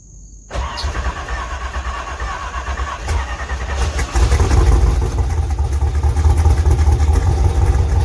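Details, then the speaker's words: LS2 V8 in a third-gen Camaro pro-touring car, cold start after an oil change: engine catches and settles into a strong, even lumpy idle with deep exhaust rumble; the earlier knocking is gone; normal cold start. "[Music] do sounds good [Music] that knocking is gone"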